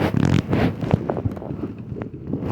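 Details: Truck cranking at a shop: harsh scraping grind in short rough bursts with no clean catch; the starter is suspected misaligned, and the planned fix is to drill further so the bolts tighten and align it.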